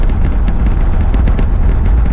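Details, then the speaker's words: 1968 Pontiac LeMans V8 on the road after correcting a distributor that had walked out of position: deep, steady rumble with no misses and smooth, even pull. Temperature holds around 180; it is running normally. "Oh yeah, she's running much happier now. I can't believe I let that distributor walk around on me."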